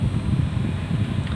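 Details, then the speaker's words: 24-volt double blower fan in a truck run on 12 volts, speed 1: soft, steady low whoosh with no rattle or scrape, noticeably slower than on 24 volts; blower running slow from undervoltage. "Ini speed 1, coba kita speed 2. Kalau ini pelan ya, beda sama yang 24 volt."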